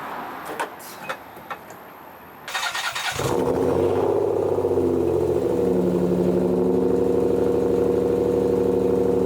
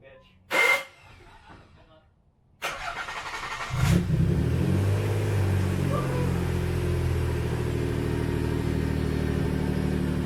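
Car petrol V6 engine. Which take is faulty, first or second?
first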